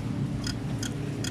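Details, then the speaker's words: Polytron two-door refrigerator not cooling, weak airflow and no frost on freezer wall: low hum with sharp rhythmic clicks about every 0.4 seconds, things colliding or rubbing, from a worn, loose, wobbling fan. "Jadi, terdengar suara seperti benda yang bertabrakan atau bergesekan satu sama lain ."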